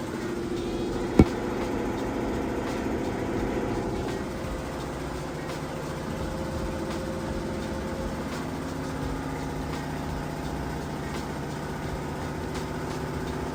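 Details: Samsung VRT HE washer on a heavy-duty hot cycle with a heavy load, spin speeding up near the 2-minute mark toward peak: an even drum hum and smooth, steady motor tone with no knocking or scraping. Normal high-speed spin.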